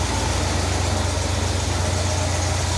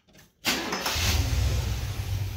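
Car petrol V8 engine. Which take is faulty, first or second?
first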